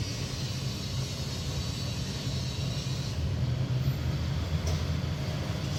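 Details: Samsung 18000 BTU R22 home air conditioner, earlier reported with weak cooling and a noisy outdoor coil, after fan motor bearing replacement: a low, steady outdoor fan hum with no rattle, scrape or bearing growl; current about 6.5 A, running normally.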